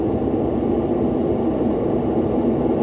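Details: 2017 Lennox rooftop unit, ACCUTRAK ultrasonic leak detector at evaporator coil, possibly middle pass, H10 also hitting: steady even rushing hiss, no pulsing; slow refrigerant seep.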